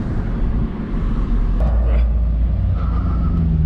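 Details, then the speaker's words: 2004 Honda Civic EM2, driving around the block after about 25 minutes idling, after new coil packs and spark plugs: steady, even low engine rumble under road noise, no misfire stumble; running much smoother. "runs way better now spark plugs in the 12 packs much smoother"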